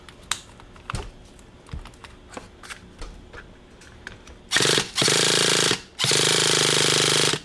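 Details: Used Revo 3.3 nitro, new glow plug, fuel primed: two long bursts of harsh buzzing starter spin with no firing; cranks but won't start because the carburetor was shut.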